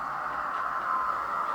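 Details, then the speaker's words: Model locomotive with a pancake motor and a hollow, non-metal chassis, running at half speed with the sound volume set around 4. A steady, fairly high-pitched motor whine holds at one pitch, which is normal. "And you can still sort of hear the whine of the pancake motor."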